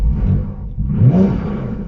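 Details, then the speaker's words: Porsche Cayman 987 at idle after fitting stainless back box exhaust (cats retained), lightweight flywheel, uprated clutch and limited-slip diff: low steady burble, one sharp rev blip dropping cleanly back; a bit more fruity, healthy. "So, I don't know how that comes across on the phone, but it's just a little bit more fruity, bit more something there."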